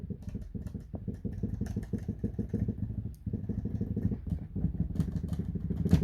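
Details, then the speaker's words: Numa X Piano Fatar TP110 keybed: fast, dull plastic clacking as keys are struck, because the hinge grease that prevents plastic-on-plastic contact has faded or been displaced; described as harmless. "that rattling noise uh is just because the the grease they use to prevent the plastic to plastic contact starts to fade out from a hinge mechanism"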